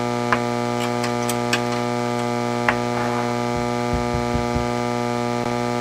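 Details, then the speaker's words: Hammarlund SP-600 communications receiver under repair: steady low mains-type hum with crackling pops and static and no station audio; owner suspects another failed capacitor; loud hum and noise, no reception. "Doesn't sound right, does it? Does not sound right. For all I know, another capacitor has failed in this radio"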